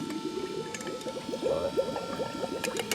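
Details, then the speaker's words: Scion FR-S converted to a Nissan S13 steering rack on a modified subframe, power steering pump on a temporary switch: steady pump whir with bubbly, irregular gurgling; air still being bled from the system; power steering pump gurgle. "we're just gonna fire this up real quick I just have the steering on a temporary switch right now so it's running things still bleed out some air"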